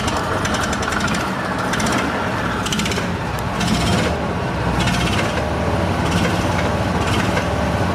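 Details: Argo, run on old dirty fuel with choke: engine runs rough and uneven with irregular clattering bursts and hammering rhythm; no clear engine knock, noise suspected from clutch side, not confirmed.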